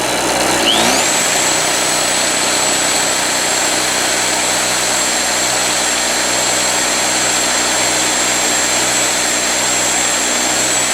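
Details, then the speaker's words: Harbor Freight Storm Cat 2-cycle generator, drill-started, now powering a drill: revs climb, then a steady high two-stroke buzz with no misses or surging. Running nice and no longer smoking, only smokes heavily on startup. "So she's running nice now. There's no smoke now. It just smokes like a bandit on startup."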